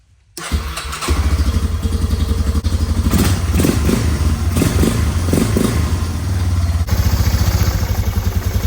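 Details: 2001 Yamaha BearTracker 250 after sitting a couple of years, first start after carburetor rebuild, on choke: cranks and catches within a second, then a steady, lumpy single-cylinder thump at fast choke idle; starts and runs fine.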